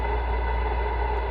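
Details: Icom IC-7100 transceiver receiving low HF: a steady hiss with a low droning hum and faint fixed tones, worse with volume, from the PWM switching audio power amplifier; fix is a linear amp replacement.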